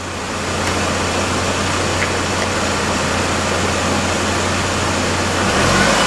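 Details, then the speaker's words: 2001 GMC Sonoma 2.2L after engine replacement, held at about 2,000 rpm to circulate coolant until thermostat opens: steady even drone, no knocks or misses; some smoke burning off is normal; healthy. "bout 2,000 RPM until I'm sure the cooling is circulated through the thermostat's opened up and I've got good heat"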